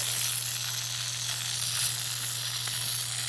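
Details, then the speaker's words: Backyard drip irrigation system, roughly 20-year-old bubbler possibly lacking adjustment: steady high hiss of water jetting hard with constant low hum underneath; flowing far faster than it should, excessive flow, not a pipe leak. "see there it shouldn't be going that fast Ah that's what I was hearing"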